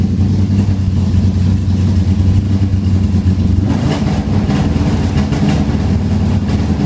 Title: 055 making noise